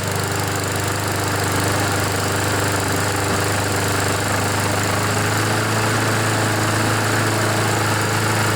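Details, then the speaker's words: Junkyard mower with a Honda GCV engine, oil-soaked air filter, had smoked heavily, still partly on choke and not fully warm: a steady, even single-cylinder drone with no misses or surging while burning off oil; normal running. "eventually it'll stop smoking when it heats up it burns all the oil out and eventually it'll stop smoking"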